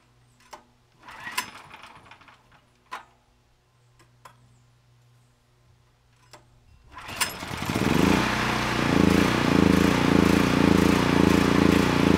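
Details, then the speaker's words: Honeywell HW5500 5500 W generator, 337cc engine, original cleaned carburetor refitted. Scattered pops and cranking, then it catches at seven seconds into a busy, uneven run with wandering speed; vacuum leak. "the original carburetor is not doing a better job"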